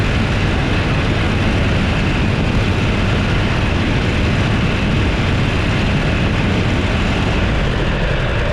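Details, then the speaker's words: Toro Z587L mower that overheated. After a failed wire was repaired, a loud, steady drone and even low rumble with no misses or knocks. Normal running. "yeah she's working it's all it was it was a failed wire"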